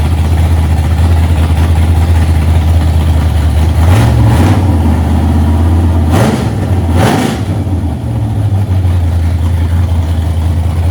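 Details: 1982 Holden WB ute, 355 stroker V8, first run after six years, radiator filled, timing about 10° with no vacuum advance yet, oil pressure good; deep steady rumble, quick throttle blips rising and settling cleanly; normal running.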